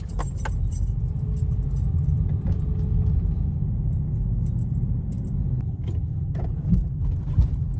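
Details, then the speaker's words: Car driven over speed bumps and potholes after a repair for a metal-on-metal knock: steady low road rumble with keys jingling and no knock over the bump; suspension now quiet and sound. "Ahí está, ya no se escucha."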